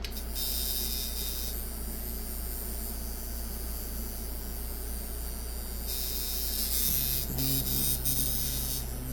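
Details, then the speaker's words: Mickey Sharpz hybrid clone tattoo machine from eBay, being tuned after a teardown. Runs around 130 Hz at 52% duty on about 7.3–7.5 volts. Even, fast electric buzz over a steady hum. Clean, normal running. "tension 130 52 that's pretty good about 7 and a half volts I don't know 7.3 I have to run it for a while see what it it sounds like it runs a little better at 8 volts"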